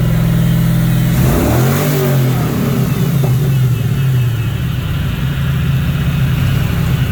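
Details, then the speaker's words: Fox Body Mustang track car, newly running after fuel and cooling system work: a quick rev blip rising and falling cleanly, then a deep, even burble. Loud but not obnoxious, with no rattles; a normal, healthy exhaust note. "Pretty cool though. For like a track car, like it's loud, but it's not horrible. Not obnoxious."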